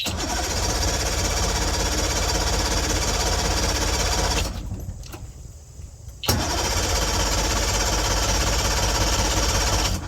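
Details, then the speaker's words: Carbureted party barge boat engine, fast idle off, with the fuel primer bulb never getting tight and the fuel filter empty: steady rapid cranking of about three beats a second pauses, then resumes, and never catches. Crank no-start from fuel starvation. "We're not getting fuel yet, so I got to continue to pump."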